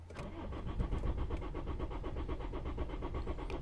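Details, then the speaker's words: 2007 Lexus IS 220d diesel, non-runner with no ECU codes; starter cranks steadily at even beat but engine never fires; no common rail fuel pressure while cranking. "so it cranks fine but it does not start the car"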